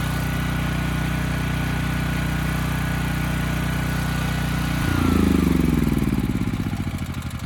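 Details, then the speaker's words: Briggs & Stratton Elite Series generator (model 030471-01), stored 5+ years, retested after brush cleaning while warming up: steady no-load drone, then speed swells and sags; slower than set and hunting. "You know, we still get good power output, but the engine speed's a little slower than I would have expected given what I'd set it to earlier. That's the first thing. The second thing is that it is hunting a bit, and I didn't notice that before."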